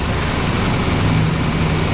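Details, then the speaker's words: 2012 Nissan Sentra after misfire repair (had run rough and misfired, oil a quart overfull), intake manifold bolt refitted, engine cover on: steady, even low hum with no stumble or skip at idle; four-cylinder now idling smooth and healthy. "Wow, you guys hear that? Thing is purring like a fine Swiss timepiece."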